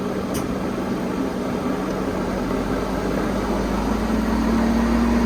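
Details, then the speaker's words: 2004 Honda Civic (7th gen) raised front wheel spun with engine driving it: steady low hum with faint rhythmic churn from a worn front wheel bearing, before full suspension overhaul. "बस रोक दो। इस तरह का ना व्हील का बैरिंग आवाज़ करा, ठीक है।"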